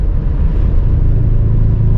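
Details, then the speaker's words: Car on road under acceleration: deep steady rumble and low drone, rear-end vibration that goes away when easing off the gas; owner suspects differential mount, or half shaft or wheel bearing at a rear corner; unconfirmed. "ise man there's something vibrating in the rear end that much is a fact maybe it could be a differential mount or something"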